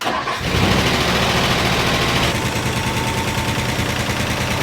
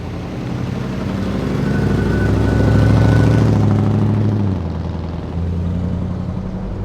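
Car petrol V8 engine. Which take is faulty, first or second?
first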